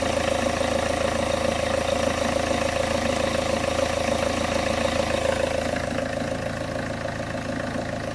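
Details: Peugeot 406 2.2 HDi diesel idling on a freezing morning right after swapping the leaking high-pressure (R70) fuel pump, first start after priming; steady even diesel idle with a clean regular beat, no misses or knocks, engine healthy.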